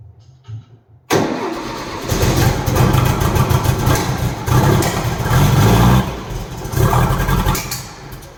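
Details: 1964 VW Beetle with ongoing backfire, testing a borrowed brand-new ignition coil mounted loose: catches and runs rough and lumpy with sharp pops about every second; new coil did not cure the backfire.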